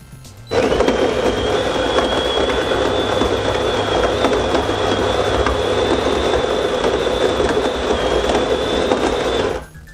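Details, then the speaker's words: DeLonghi FEB 3515.B espresso machine brewing a long coffee: pump hums evenly with a steady high whine and no stutter or grinding, pausing a few seconds for pre-infusion before restarting, normal pump operation. "alors sur l'extraction de longuille on entend la préinfusion de la mouture on entend la pompe fonctionner puis s'arrêter quelques secondes pour permettre après infusion et elle se relance ensuite"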